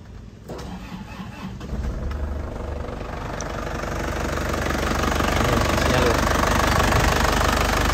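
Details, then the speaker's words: 2010 black LS turbo diesel with an original, unadjusted sealed injection pump: engine catches after a brief crank and settles into an even, steady diesel clatter without stumbling. Healthy start and idle. "Dari suaranya renyahnya khas penter ya. Dari getarannya ini stabil, tidak pincang."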